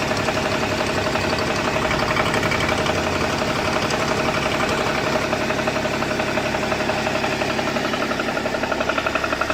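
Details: BMW E61 525d diesel at idle: a regular knock, nearly three a second, with a thin whine riding over it; the owner asks what the noise could be, and the cause is unknown.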